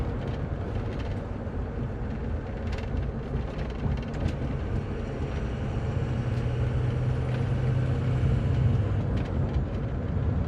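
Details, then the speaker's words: 2004 Ford F250 6.0 Powerstroke diesel, after ICP sensor and pigtail, IPR harness replacement and EGR valve reseal: diesel pulls smoothly under load, faint turbo whistle rising cleanly, no smoke, no miss; normal turbo spool. "charger sounds good there's no smoke no smoke is always a good seems to run good too it doesn't seem to miss"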